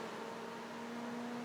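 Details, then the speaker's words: BMW 320d electric cooling fan run via the ThinkDiag phone OBD scan tool actuation test: smooth, constant electric hum at one steady pitch, no rattles or wobble. Radiator fan working normally. "And on the actuation test, we've only got electric fan. And I'll be honest, I think that's all we've got on the professional diagnostic tools as well. But if we put that on, activate, Yes. You might be able to hear that."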